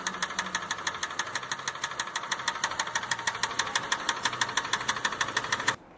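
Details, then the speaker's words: Engine rebuilt after severe overheating (burst coolant reservoir, driven nearly 1 km without coolant): sharp metallic knocks about three per second over a slightly raised idle; rod knock. "ele saiu lá fora, sabe esse barulhinho aqui, ó? Barulho de biela batendo."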